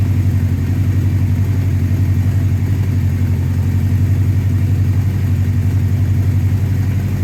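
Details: 1984 Honda CB700SC Nighthawk after carb cleaning, idle raised, warming up: steady low burble, quick regular pulse about 1400 rpm, no misses or knocks; normal fast idle, slightly high.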